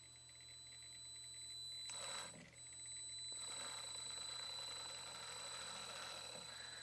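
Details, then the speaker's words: Hobbywing 1080 ESC in an HG P407 Tamiya Bruiser clone set to 4K drive frequency: a thin, steady, high whine around 4 kHz, normal switching tone, quieter but higher-pitched than at 1K. "It's not as loud as the 1K, but it's more of a higher pitch."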